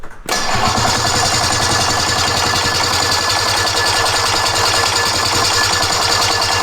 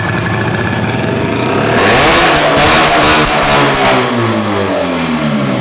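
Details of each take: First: Roughly 50-year-old snowmobile, barn-stored since 2003, on electric start while still flooded: the starter whirs with fast chatter about seven seconds and cuts out. The engine fires once but won't continue; the starter seems to kick out. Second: Roughly 50-year-old twin-cylinder vintage snowmobile, sitting in a barn since 2003, on its first start: a crisp, ringing two-stroke note climbs on the throttle and settles back, firing cleanly once the second cylinder lights up, so it runs normally.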